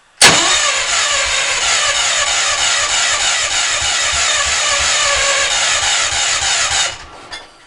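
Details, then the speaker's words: Old engine, cold, timing and valves set, fine when warm: the starter churns steadily for nearly seven seconds with quick, even compression pulses but never catches. It is always hard to start cold; cause unknown. "this thing this thing is hard to start it always is when it's"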